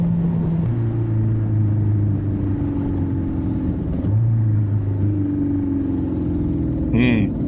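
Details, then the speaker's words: 1983 Suzuki Katana 750 recommissioned after standing 31 years, on its first test ride: an uneven, stumbling exhaust note with wavering pitch. It is misfiring, possibly down to two cylinders, and dies at the roadside. "She's misfiring, she's not happy. She's down to 2 cylinders, I think."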